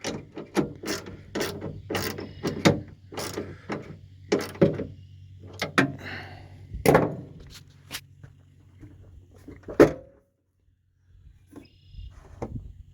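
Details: Rear power window of a 1978 Mercury Marquis Brougham 400 parts car that had sat for years, worked by hand with a slow, uneven run of dry ratcheting clicks and grinding. Badly worn window regulator.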